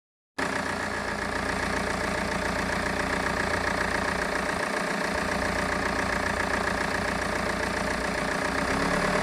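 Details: BMW 320d E46 diesel with a steady, fairly regular knock of about four beats a second, cause unknown; the owner hears this sound when driving.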